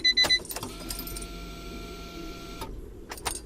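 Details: Honda Beat fuel pump after maintenance and main relay swap: key-on chime, then an even electric hum for about two seconds that cuts off cleanly; the fuel pump is priming normally.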